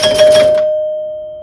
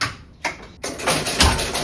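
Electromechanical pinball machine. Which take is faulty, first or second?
second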